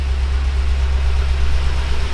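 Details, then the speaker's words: BMW M6 S63 twin-turbo V8 started with one air mass meter unplugged: deep, lumpy, stumbling idle, a severe misfire on cylinder 2 with flashing check engine light. "Sounds pretty bad because we have severe misfire. As you can see, the check engine light is blinking,"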